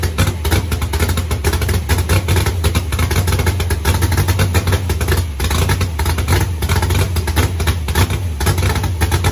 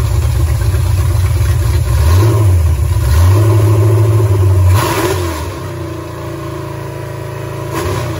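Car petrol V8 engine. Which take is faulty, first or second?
first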